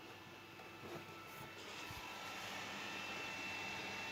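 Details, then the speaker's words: Replacement Asus fan fitted to a Zotac graphics card that had a noisy fan, running at high speed: steady airy rush with faint thin tone, still loud but even, no rattle or grinding. "that's still pretty loud [Music] but not as long as it was before"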